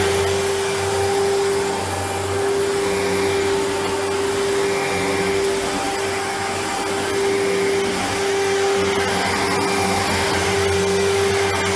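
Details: 1997 Sebo X1 upright vacuum on first power-up after collection: steady, even motor whine with constant airflow rush, no surging or rattles. Running normally.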